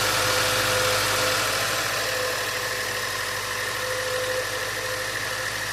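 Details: 2016 Range Rover, first start after a timing job for timing codes, with adaptations reset and codes cleared: engine catches and settles into a steady, even idle with a faint whine on top, no knocks or misses.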